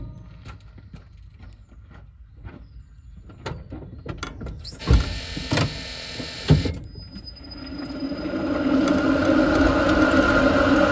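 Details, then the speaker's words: Renault Zoe 5AQ electric traction motor, phone wedged under the bonnet with the pedestrian sounder off: hollow scraping rumble with a steady droning hum. Early-stage motor bearing failure, noticeable in the cabin and outside the car. "hopefully that audio was quite good and it is that Hollow Rumble that scraping noise"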